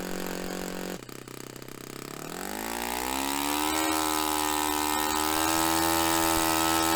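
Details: Restored Saito FA-45 Special on a test stand, 10% nitro fuel, warmed up. After firing, a sharp buzz climbs smoothly and holds a steady high pitch, peaking near 10,260–10,300 rpm against a manual peak of about 10,300. Normal high-speed run; owner richened slightly afterward.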